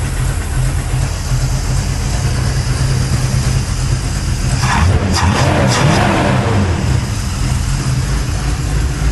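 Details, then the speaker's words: 1983 Chevy C10 square body, motorhome 350 built with used performance parts (Edelbrock Performer RPM cam), new Holley 4150 750 carb replacing the Quadrajet, PCV valve added, choke kicked off, cold shop: deep V8 idle steady, clean throttle blips, runs smooth and healthy. "Let me tell you, straight out of the box, that thing runs 10 times better than it ever has."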